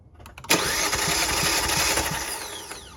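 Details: 2018 Kia Forte compression test, coil packs disconnected: even starter cranking, regular compression pulses about two and a half a second, no firing; cylinder reads just above 180, healthy and even like the others.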